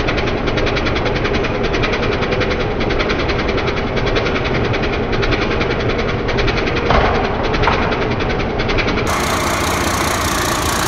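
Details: 1993 Ford Louisville L8000 diesel truck, first run after sitting about 11–13 years: even diesel clatter at steady idle, no misses or hard knocks; engine runs smoothly, normal diesel idle.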